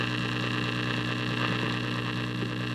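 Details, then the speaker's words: 1936 Zenith model 6B129 shortwave radio, first power-up: a really big steady hum with faint static and crackle that changes when the volume is moved, no station received; tuner frozen, cause unknown. "that's all we're getting is some faint static when i move the volume in a really big hum so i don't know what any of that means"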